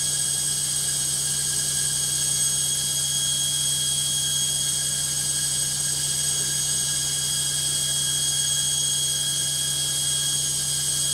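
A steady, even roar with a couple of high whistling tones held over the spin; the spin is clearly noisy, cause not obvious.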